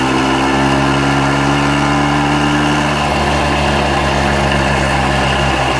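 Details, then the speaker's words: 1965 Montgomery Wards Benelli 125 Scrambler two-stroke riding after revival: crisp, even, strong running with steady pulses; rider notes it is still a little rattly, source of the rattles not yet found and buried in the engine noise. "still a little rattly I gotta figure out what that rattle is it runs good it's not like this break on the left that's the name of this motorcycle brake on the left it does have some rattles for sure it runs really good and strong"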